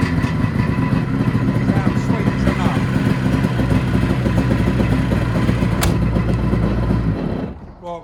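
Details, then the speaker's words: SeaDoo XP two-stroke jet ski, run briefly out of the water with no cooling water: crisp busy two-stroke buzz at steady revs, then cut off near the end, healthy and even; normal running. "ain't gonna run that too long without any water in it so next step let's get it unloaded get it plumbed up to some water and make sure that it pumps water okay but that sounds lovely"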